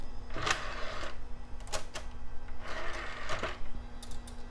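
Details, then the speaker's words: HP Vectra VL Pentium II, CD drive reading a CD-R: low steady hum with short whirring bursts and light ticks as the disc spins up and seeks; the drive spins up and reads normally. "Hey, it spun up, and it reads. Awesome."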